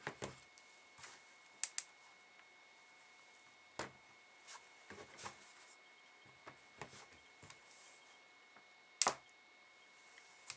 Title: MacBook Pro 15" clicking sound